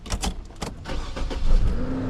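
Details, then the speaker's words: 2009 Saab 9-7X (Chevy TrailBlazer-based) no-start after PCM replacement and diagnosis: engine catches after short crank into low steady idle with no misses, security light on; normal start. "All right. So, right now, yeah, it's running."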